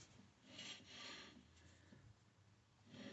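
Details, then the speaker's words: 1997 Chevy Camaro RS front driver-side rotor turned by hand: uneven scraping rasp in slow swells, catching harder in spots, grinding all the way around; rust on rotor, owner suspects warped rotor causing knock that stops under braking. "the whole thing grinds yeah the whole way around so it's obviously got rust"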